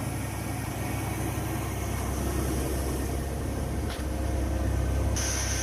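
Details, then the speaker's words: Old Chevrolet S10 truck towed in because it was out of gas; after fueling it fires up into a steady, even idle with a smooth low rumble and a small bump partway; normal idle. "oh oh oh all be dipped they'll all be dipped it was out of gas of all the unbelievable that's unbelievable"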